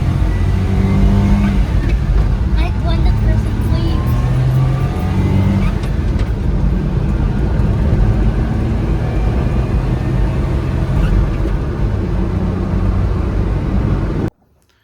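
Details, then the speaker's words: Suzuki Carry kei truck that had broken down on the highway, driving after tightening the loose negative battery cable, AC on: steady smooth revs under load with no misses, clunks or stumbles; normal running. "you guys just saw from the little clip that I showed of it driving with the AC on and everything, it drove perfect."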